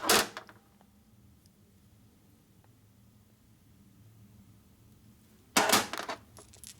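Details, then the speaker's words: Sifton heavy-duty lifter from a 1972 Harley XL Ironhead Sportster motor being rebuilt after failing at 1000 miles: short loose metallic maraca-like rattles when shaken; the roller's needle bearings are worn or missing, so the lifter needs replacing. "there's a problem with that one. Yeah. I can hear it already. It's a Maraca."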